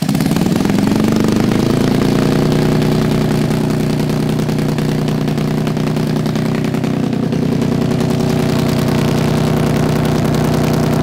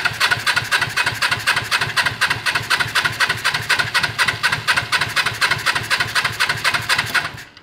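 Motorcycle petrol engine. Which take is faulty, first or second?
second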